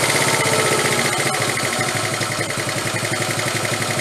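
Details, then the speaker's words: 1974 Honda Z50 monkey bike after idle screw turned up, gaskets still to be made: quick, even putter with steady pulses, no misses or knocks; normal idle, sounds more in tune. "all right sounds better Stephanie sounds much more in tune"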